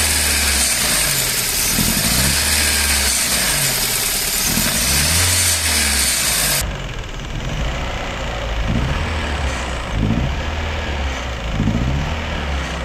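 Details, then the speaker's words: Four-cylinder engine with one injector deliberately disconnected so it runs on only three cylinders: lumpy, uneven idle with a steady repeating stumble instead of a smooth hum; misfire from the disconnected injector. "al desconectar un inyector el motor únicamente funcionará con tres cilindros Por ende funcionará de esta"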